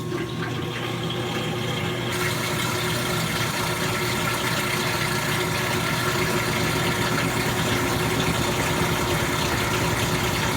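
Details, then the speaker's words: Kenmore laundry center made by Frigidaire, top-load washer on spin: loud, steady roar with a gritty rumble under the water rush throughout the spin; worn tub bearing getting noisy at speed. "it still spins pretty good including the one you can hear how loud the bearing was during the spin"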